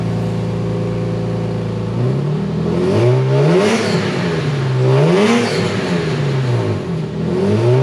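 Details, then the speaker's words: Lexus IS300 (2JZ) after a failed catalytic converter, fitted with a cheap eBay stainless header and Megan Racing mid-pipe, on a test drive: loud exhaust, pitch climbs strongly through repeated hard pulls with no hesitation; acceleration restored, normal. "so i'm going to take it for a drive find out wow it sounds like it has just some giant exhaust"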